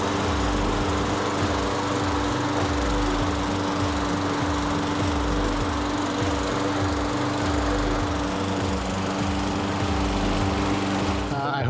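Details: 2018 Briggs & Stratton 450 series push mower, a no-start, after cleaning its plastic carburetor: steady, even single-cylinder chugging at constant speed with no misses or surging. It now runs normally.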